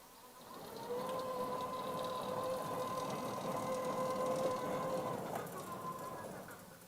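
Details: Norwood LumberMax HD38 portable sawmill with a newly installed wireless remote power feed: steady motor whine at one even pitch as the carriage drives along the track, speed brought up from the slowest setting, easing off at the end. Normal carriage drive.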